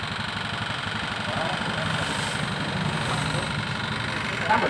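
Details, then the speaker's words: Honda Beat Street fuel-injected scooter, totally dead with a normal battery: idling with a steady, dull knock through each beat. The piston had seized, so it is likely damaged; the starter trouble is only a side effect of the stuck piston. "jadi double starter adalah efek adalah imbas ya tetap permasalahannya adalah pistol macet"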